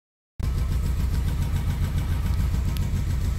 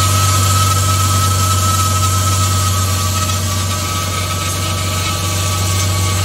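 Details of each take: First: Mercedes-Benz W212 E300 petrol on cold start: very rough, lumpy idle that may stall and clears after about ten minutes of warm-up, caused by an intake manifold air leak; the manifold variable flap was also stuck closed. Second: Mercedes-Benz W212 E300 petrol, first cold start after intake manifold leak repair (previously rough idle and stalling for about 10 minutes until warm): engine idles steadily with an even low hum and faint high tone; an air pump running long is suspected abnormal.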